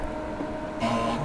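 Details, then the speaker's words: Amiga A1020 5.25-inch floppy drive formatting a 440K disk after freeing stuck head, rails not yet lubricated: short buzzy steps of changing pitch as head seeks; stepper motor fine, fault was lubrication. "look at that the little head's moving back and forth it was not doing that before stepper Motors fine it was a lubrication issue"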